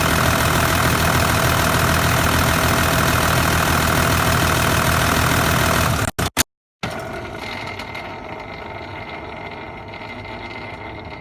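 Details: Engine with failed Kinugawa CT26 turbo idling, white smoke; busy metallic rattle about three beats a second from the turbo, a suspected turbocharger failure.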